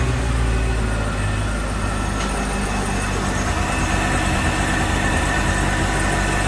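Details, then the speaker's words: Volvo Penta 6.0 marine engine on its first start after a head gasket install, water on, idles with a steady, even low rumble and no knocks or misses. No leaks or alarms, warming up; healthy. "it sounds good i don't see any leaks down here anywhere looks good over here too"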